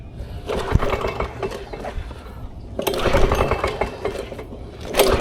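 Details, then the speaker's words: Vintage Lawn Boy Gold Series 4.5 hp two-stroke mower found discarded: uneven pull-start bursts about every two seconds, turns over but never fires; cranks without starting, possibly no spark or fuel delivery, cause unknown. "know doesn't sound like it's getting spark that's what that's what it sounds like to me that could be either fuel delivery or it could be spark"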